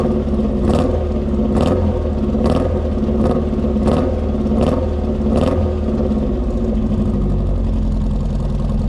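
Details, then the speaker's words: Mark II Ford Fiesta XR2 running after the rebuilt Weber 28/32 TLDM carb refit and anti-run-on solenoid wiring fix: steady running with repeated, slightly uneven throttle blips about once a second; runs but not perfectly, carb needs tuning and it doesn't always start first time. "all right guys so there you have it um definitely found the cause of the problem there don't get me wrong the car doesn't run perfectly but um the carburetor definitely needs to be tuned"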